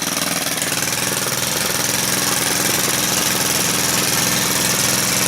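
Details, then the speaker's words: Stihl KM130 4-Mix trimmer engine after valve adjustment, pole saw attachment fitted, restarted without fast idle: runs fast but unevenly with a rough, slightly hunting buzz; needs carburetor tuning. "See if it starts. That's better. That sounds like it needs tuning though."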